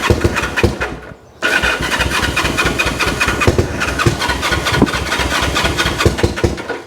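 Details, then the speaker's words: 1974 Honda CL450, first start attempt after 25 years stored, with fuel in it and battery hooked up: fast cranking with ragged pops that catch for a moment, then fade and die, fires but won't keep running; air boxes checked next, cause not confirmed. "oh that's wanting to come on turn that off"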